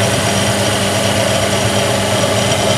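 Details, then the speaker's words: Low-cost bench drill, about 10–12 years old with dry, noisy spindle bearings, after adding oil lubrication: steady, even spindle hum with no grinding or rumble; runs noticeably smoother. Normal smooth spindle running. "it's proven it's coming down through the actual bottom bearing and I can actually hear the difference some from the oiling up sound really nice and smooth"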